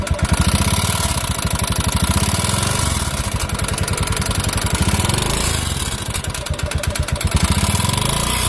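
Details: Honda Beat FI scooter that suddenly became noisy: a loud, fast, steady knocking over the idle and small revs. Engine knock whose source is not yet found.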